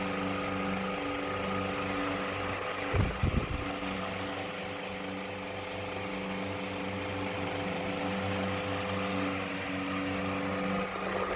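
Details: 1910-12 Dayton Type 65 "Toilet Bowl" oscillating desk fan, a 220 V 50 Hz export model running on 240 V, recently rewired. On high speed a steady motor hum carries a light, uneven rattle; the owner guesses worn bearings or stator alignment.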